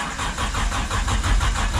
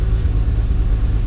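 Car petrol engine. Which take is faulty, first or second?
first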